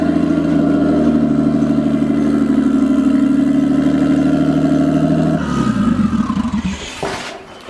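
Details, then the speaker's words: Nissan RB20-powered S14 after finding a smashed spark plug, plugs gapped 0.30, timing set to 15 degrees: held at raised revs it sounds rough and wavering, then stumbles unevenly as revs drop; runs better than the last motor but still breaking up. "Alright, so we gotta tweak something. It's right still now, breaking up."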